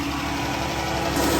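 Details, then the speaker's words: 2014 Dodge Charger, 3.6 Pentastar, at idle: a light, fast, evenly timed ticking rides over a steady idle. Owner notes rocker arms often fail on this engine and make this tick; suspected, not confirmed. "Definitely not the sound you want coming from your motor."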